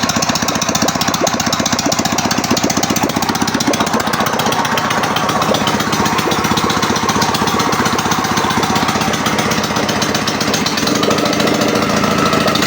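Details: Ural motorcycle twin, first start after engine overhaul: loud, rapid, even firing beat holding steady speed throughout; running smoothly and consistently.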